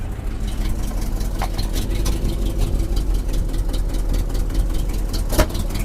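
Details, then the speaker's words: 1976 Jeep J10 truck, 401 V8, full-time 4WD, revived after sitting 29 years, ignition still jumper-wired: rough, lumpy V8 idle with one sharp backfire pop near the end. "Oh, that's a backfire. I was like, gee."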